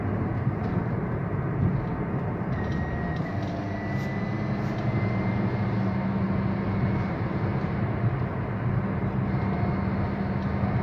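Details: Toyota Yaris under acceleration: steady road roar with a thin high whine that climbs slightly as the throttle opens, heard only with the foot on the pedal; cause unknown.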